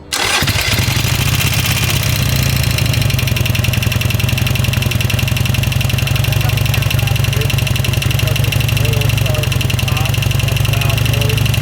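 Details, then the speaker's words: 2007 Harley-Davidson Sportster first start after rocker box gasket replacement: big twin settles into a loping idle with a light rapid tick on top; owner feared bent pushrods, husband says valve noise on that side. "Well, something sounds wrong for sure. That don't sound right, babe."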